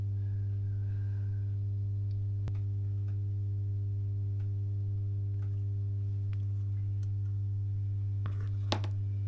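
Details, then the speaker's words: Masco M25N tube amplifier with a poor previous re-cap: loud, steady low mains hum with strong overtones that quietens when a test capacitor is bridged in, pointing to a lack of smoothing (weak filter capacitance). "see how much quieter that's gone take that off so yeah that's um that's definitely the uh capacitance home so lack of smoothing on there"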